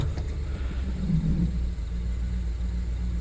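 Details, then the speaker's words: 2009–2012 Ford F-150, after fixing broken wire for primary coil D misfire (P0354); idling in gear, low steady rumble with no skips, misfire gone. Normal idle after repair. "oh yes it's gone i took care of it yes yes good deal"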